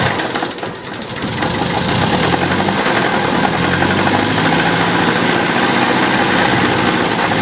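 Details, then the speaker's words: 1966 Datsun 520 farm truck abandoned 40 years, first start in freezing cold with fuel in the carb bowl and float at level: engine catches and settles into a steady, even idle with no metallic knock. The clunk is thought to be clutch/flywheel, not a rod. Normal idle. "I think that's the clutch and flywheel just self-leveling there. And not a main rod. It's perfect."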